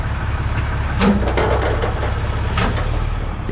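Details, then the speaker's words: Diesel truck at idle, shifted into drive: heavy clunk and rattle as the transmission engages; TCM problem suspected, not confirmed. "it clunks into gear which is exactly what our 5500 was doing um so tcm problem"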